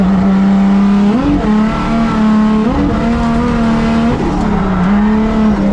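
Engine revs unevenly with a stumbling, lumpy note and the pitch wavers up and down; sounds like a bad misfire under load. Cause suspected, not confirmed.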